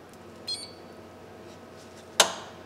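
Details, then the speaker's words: EV conversion with MGA motor, BMS and cell taps connected, replaced contactor; two sharp clicks in quiet room, contactor pulls in and holds without chatter or dropout, no errors reported. "sounds like it's staying on so it say it doesn't say we've got any uh errors which is good"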